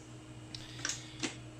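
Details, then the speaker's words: Quasar VR-1000 VCR, whose fast forward previously stopped after seconds, after replacing the stretched take-up reel belt and servicing motor bearings and pulleys: steady low motor hum, light clicks as reels spin up, no grinding; normal fast forward. "so as you can see we do have nice movement right there listen to that no grinding sounds"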